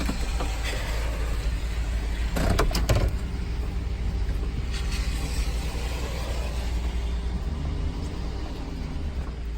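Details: 2007 Chevrolet Tahoe Police Interceptor, automatic, 209,178 miles, cold start on a very cold rainy day. Low, even idle rumble with one brief clunk early on, no knocks or misses; a healthy cold idle.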